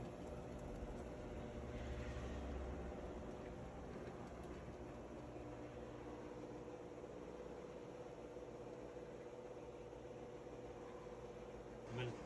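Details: Whirlpool commercial/Maytag washer after replacing worn, stripped clutch that caused grinding between wash and spin: low, even motor hum with soft steady churn, no grinding or knocking; agitating normally.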